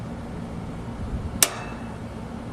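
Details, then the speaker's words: American Standard/Trane outdoor AC condensing unit, contactor with some wires removed: one sharp clack over a low steady hum as it pulls in when energized; contactor working normally. "the little Center contacts are are kind of popping out their own Springs and then when it's turned on the thing gets sucked in there"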